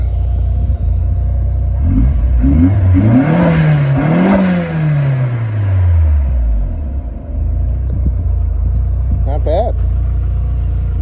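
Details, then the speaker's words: Mitsubishi Starion/Conquest G54B turbo with HKS exhaust, automatic, revived after two years sitting, untuned: free revs blip and drop cleanly, no knocks or misses; healthy, rowdy. "sounds rowdy so we're gonna take her for a drive run some numbers and see what we can get out of it"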